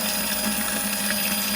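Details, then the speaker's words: Pontiac GTO original fuel pump reinstalled in the tank bucket, holes drilled in the bucket so fuel enters it: steady even electric hum with constant flow, no surging or drop-off; pump running normally. "all right we got a steady flow that's my battery pack beacon but as you see the pump is still flowing like it's supposed to still going"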